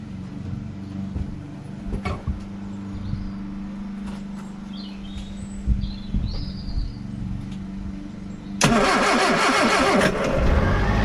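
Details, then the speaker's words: Austin Allegro after fitting new HT leads (the old king lead was sparking and causing misfire, judder and ticking), after winter storage in a damp garage: the engine settles into an even, steady idle with no ticking. "that's better she's running smooth see with the spark coming off of that ht lead she was almost sort of misfiring sort of juddering and you could hear the spark ticking so that is a relief to hear a nice smooth happy peggy"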